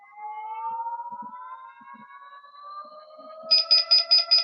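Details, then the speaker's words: Begode ET Max electric unicycle on a stand after a firmware update, motor whine climbing: sharp power-alarm beeps about 2.5 per second start at 40% PWM, too early, and the beeps are not progressive. "all right so it started beeping at 40% right"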